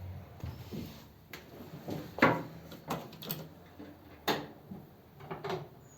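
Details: 286 cu in flathead (3-3/8 in bore, 4 in stroke) on first start at fast idle: sharp, uneven pops and bangs every second or so as it struggles; backfire from swapped number 3 and 4 plug leads.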